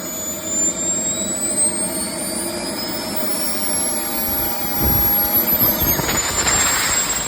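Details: Jetmunts 250XL turbine running: shrill squealing tones over the turbine roar, climbing steadily in pitch. Squeal, with a bad bearing suspected, not confirmed.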